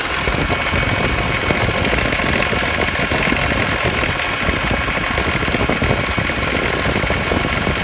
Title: E46 m3 bad alternator bearings?